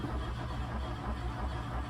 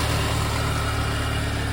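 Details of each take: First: MK2 VW Golf GTI 16v, unstarted for 6+ weeks, fresh battery fitted, fuel level unknown with gauge reading nothing; steady cranking about three turns a second with weak catches that never take; cranks but won't start. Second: VW MK2 Golf GTI 16v after sitting about six weeks, first start on a fresh battery, listened to at the engine. It settles into a steady, even low idle with no knocks, misses or hunting. Normal idle.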